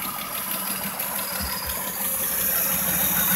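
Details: 2001 Dodge Intrepid swapped from 2.7 to 3.5 engine, first start-up: runs well but light, quick steady ticking about three per second at idle; owner suspects timing is off and plans to redo it, unconfirmed.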